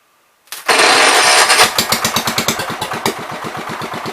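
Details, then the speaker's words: 1973 John Deere 110, bought for $40, on gas during carb adjusting: fires after cranking, then runs in uneven pulsing chuffs that never smooth out; owner thinks it acts flooded and plans to clean the carb. "Kind of acts like it's flooded, but yeah. Alright. We're gonna have to clean the carb."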